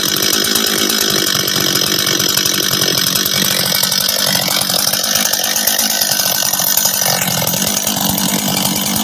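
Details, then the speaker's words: Husqvarna 385 chainsaw, first start after reassembly with top cover on, first heat cycles: crisp, rapid, steady buzzing idle with no stumbling or surging; starts and restarts easy, throttle response good, idles cleanly — normal idle. "hold on work he right work sounds good idles good good he all right um starts restarts easy throttle response is good idle's good"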